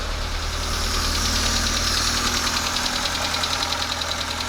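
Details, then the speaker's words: Proton Wira after repairs fixing oil leaks and overheating, first start with timing correct and oil pressure good, idling to warm up: steady even idle, light quick valvetrain tick and intake hiss, no misses; normal idle. "From here, what I usually like to do now is let it run, let it idle until it reaches operating temperature."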